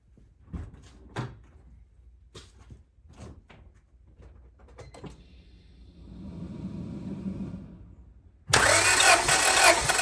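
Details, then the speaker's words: Honda Civic D16Y7 engine, warm after running about 20 minutes, compression test on cylinder 1 with about five cranks: even cranking with steady beat, no stumbles; reads 170 psi, good compression. "okay so that's awesome so we're looking at 170 on cylinder number one"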